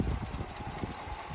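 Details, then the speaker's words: 2012 Subaru Forester XT turbo after a skipped timing belt and bent valve repair, plus a broken wire and an unplugged secondary air pump fixed: slightly rough, lumpy idle just after restart, expected to clear after about a minute. "but she's running feels a little shaky but I think it needs to be driven because it clears up after about a minute"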